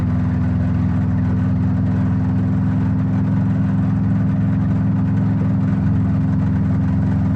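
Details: Subaru WRX engine with major failure after maintenance; loud steady low idle with a dull knock about three per second underneath, pointing to serious bottom-end trouble; owner suspects rod knock, possibly ringland failure or spun bearing, not confirmed.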